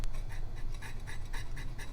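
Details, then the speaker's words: Vintage Signatrol mechanical neon sign flasher: rhythmic rasping scrapes about twice a second over low motor hum as the disc, sagging on a worn-through brass shaft bushing, rubs the bottom of the motor housing and hangs up. "and when the disc would rotate it would scrape on the bottom of the motor here, and then get hung up."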